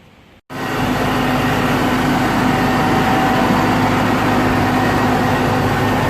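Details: 2001 Jeep Cherokee XJ Sport 4.0 inline-six, 234,000 miles, after replacing the idle air control valve: starts and holds a fast steady idle near 1,000 rpm that never drops; high idle from a vacuum leak still being tracked down.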